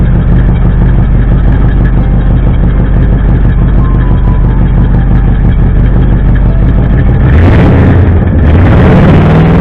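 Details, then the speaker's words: 1964 Ford F100 V8, rebuilt, with carbon buildup on a passenger-bank plug tip: lumpy uneven idle then rising and falling revs; one or two cylinders misfiring. "You can hear that. Definitely sounds like you got a cylinder, maybe two out."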